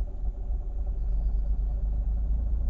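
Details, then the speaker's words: 2006 Mazda RX-8 rotary after a warm-up drive, idling on LPG: uneven lumpy low rumble with wavering beat; it stalled on gas before and wouldn't restart hot, and the LPG idle may need re-tuning. "so we're back from our warm-up lap as you might be able to hear it feels lumpy i'm not like cool bridgeport lumpy like not good i'm just going to try it on gas a sec because it was really um"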